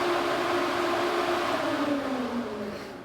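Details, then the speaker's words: 2005 Nissan 350Z whose failing cooling fans caused poor A/C at idle, after replacement with Mishimoto fans run on low speed. An even whir of air forced through the radiator, easing off as the fans slow: fans working properly. "you could hear the difference you can you know you can hear the air getting forced through those radios now so old fans definitely knackered"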